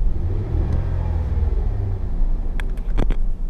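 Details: 2005 Ford F-150 with 4.2 V6: low, smooth idle rumble with a clean throttle blip that rises and settles evenly, oil pressure steady when revved; engine sounds healthy, normal idle and rev.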